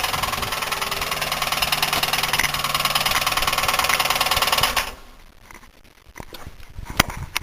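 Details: Buick 3800 at idle until shut-off: a fast, even rattle-knock tied to engine speed from a worn wrist pin and piston, confirmed on teardown; suspected cause is oil starvation or overheating.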